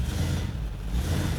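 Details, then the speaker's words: 1962 Chevrolet Impala automatic with a new torque converter, warming up: in reverse under throttle the engine drone stays low and strained and never picks up, as if a trans brake were on. The transmission is binding, intermittently and perhaps less when cold. "oh man see now it's bound up so that's in reverse right there i give it gas"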